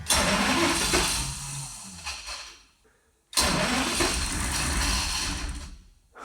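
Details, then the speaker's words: Ex-Navy patrol boat engine cranked with water intake in a trough: two long cranking runs of about three seconds, almost catching but not running; owner suspects air in the fuel system. "it's so close. Does it just have a bunch of air in it, or why is it not running?"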